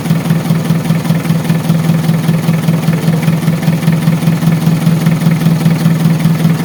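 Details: Mitsubishi Adventure diesel starts on one click and settles into a deep, steady, even idle with no misses after fixing the air leak at the fuel pump; water indicator still lit, dirty fuel suspected.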